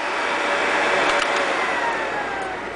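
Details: Vintage Lady Sunbeam hair dryer after being taken apart and cleaned: steady, even rush of air with a smooth motor hum, no rattles, scraping or surging; runs cleanly.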